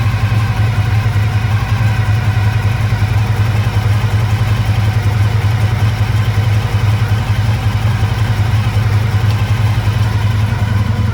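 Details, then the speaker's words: 1985 Honda VF1000R V4, warm, first run after years in storage with carbs not drained: lumpy uneven idle on three cylinders, rear right cylinder dead; suspected blocked pilot jet from float bowl muck. "yeah so we can see uh the rare right cylinder uh is definitely not uh is definitely not running at idle"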